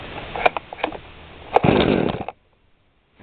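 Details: Brand-new eBay 20-inch chainsaw model 5200, 20:1 high-octane unleaded mix, weak spark, carb H/L set to spec: one rough cord pull, brief rattling churn, then silence; no-start, possibly flooding the plug.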